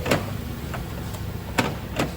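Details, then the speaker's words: 2019 Toyota Camry Hybrid driver door during repair of a badly installed door handle: several crisp, quick clunks about half a second apart, each firm and complete, door lock actuator cycling normally. "if you can hear so this system is all good now"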